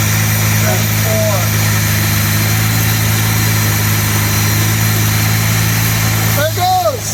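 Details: Original 1962 Jaguar E-Type 3.8 with a rebuilt straight-six, after its first drive in 45 years, idle adjusted: a steady, even low idle hum with no stumbles or knocks, with outdoor birds chirping. Normal smooth idle.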